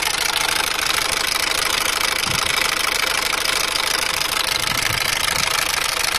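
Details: Peugeot/Citroën 1.6 HDI diesel at idle with engine warning light, suspected injector seal leak: steady, sharp metallic clatter two to three knocks a second, loud when cold and slightly less when warm; diesel knocking, owner suspects injector seals.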